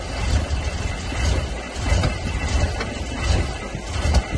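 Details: BMW M5 E60 after an engine rebuild, smoking and misfiring: uneven sputtering chugs at about 85 per minute under a low rumble, catching irregularly but never running; cranks but won't start, cause not known.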